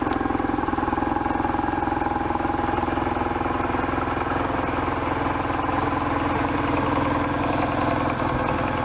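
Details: 1998 BMW R1100RT boxer twin, first run after restoration, throttle bodies not yet tuned; even putter at a steady idle with slight hunting in speed, no misses or knocks, starting and running fine.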